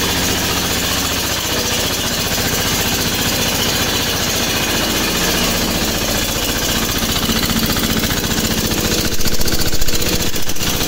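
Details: MEP-802A diesel generator, first start after piston ring replacement; before, only one cylinder fired, with blue smoke and intake blowby: steady, even diesel beat with all cylinders firing cleanly, no misses or knocks. Normal running.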